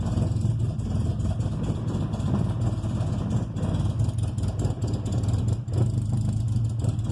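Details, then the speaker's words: 1995 Honda Civic EG coupe just after a cold start: idle hunts and stumbles unevenly with a brief dip, revs up and runs normally then drops back; runs fine once warm; cause unknown, happens daily; rough idle. "See, then it runs mint. Turn it off. Well, then once it's warm, it doesn't do this at all. See, it revs up there and runs normal, and then it goes back down and runs like shit."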